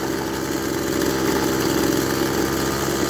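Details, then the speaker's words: Echo SRM-200BE two-stroke trimmer at high revs after a carburetor clean, warm after a few minutes running; idle slightly fast; uneven stumbling beat, misfiring and losing power, cause not found. "as you can heat as you well as you can hear it's kind of slowly starting sounding like it's losing power it's misfiring a bit"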